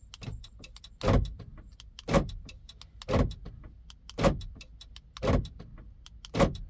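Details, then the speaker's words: 2017 Chrysler Town and Country after front fuse box replacement: about one door-lock clunk a second, six in a row, with no switch touched; a faulty key remote sends wrong signals, cycling the locks. "So remote was bad, creating all these problems. Yeah. You see, and sometimes it touch and send wrong signal."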